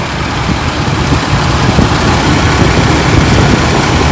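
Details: Chevrolet 4.3L Vortec V6 with new oil pan gasket: steady, even low idle with no knocks, misses or ticks; engine runs smoothly, normal idle.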